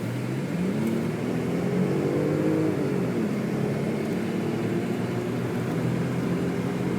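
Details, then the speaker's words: 2000 Audi S4 twin-turbo quattro sedan while driving: even road and engine hum with smoothly rising revs and no knocks or clunks; suspension sounds tight with no funny noises. "You can hear the suspension, there's no clunking, no funny sounds with this car."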